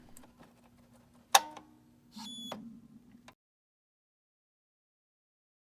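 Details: Epson printer 0xEA error: soft ticking, sharp click, then brief shrill carriage squeal stopping dead after printhead moves right; encoder strip already cleaned, carriage driver chip suspected, not confirmed, unsolved.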